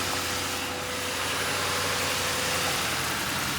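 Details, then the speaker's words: 2005 Ford Crown Victoria Police Interceptor, 150,819 miles, suspected bad fuel pump, running on fuel poured into the intake: steady, smooth idle with no knocks or misses, AC compressor not yet engaged; engine sounds good. "All right, started right up. The engine sounds good."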